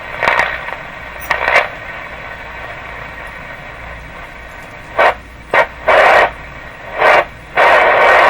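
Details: Philco 38-C7 tube radio after grounding the shells of the metal tubes and reseating a loose tube: irregular bursts of harsh static surge over hiss while tuning; intermittent spurious oscillation remains, possibly curable by alignment.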